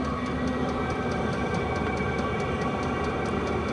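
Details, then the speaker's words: Vevor 8kW all-in-one diesel air heater drawing outside air, outlet reaching 165 and climbing, running without muffler: steady rushing roar with light regular fuel-pump ticking about four per second; louder than expected, normal operation, muffler to be fitted. "I may go ahead and put the muffler on it just to quien it down a little bit it's actually a little bit louter than I thought it might be"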